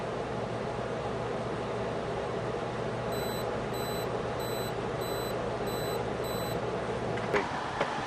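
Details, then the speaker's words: Frigidaire FRA065AT7 6000 BTU window AC after repair, with a bit of fuel tube pushed against the beeper diaphragm: six short, soft high beeps over steady fan hum, control beep now properly quiet. "Well, you can hear there, with that little tube in there pushed up against the diaphragm, it makes a tiny little beep."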